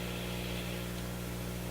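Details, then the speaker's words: Motorola MK 56-H five-tube radio on isolation transformer after replacing weak filter capacitor with two 50s; loose connection gone but loud steady low mains-pitch hum with buzzy edge, unchanged by turning volume down. "Oh, it's humming like crazy. Notice the loose connection's gone, but jeepers creepers."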